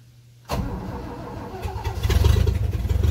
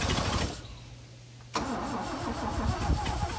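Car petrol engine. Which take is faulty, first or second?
first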